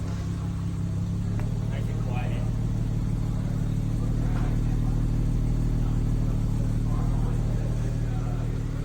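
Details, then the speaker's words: BMW M240i with newly built B58 engine (rated to 1000 whp) after catastrophic failure, first start after oil priming and new plugs: steady, deep, even idle with no ticking, knocking or hunting; sounds like the stock motor. "It sounds like OEM. Exactly like OEM. Almost exactly like OEM. Now that sounds beautiful. Sounds exactly like the stock motor."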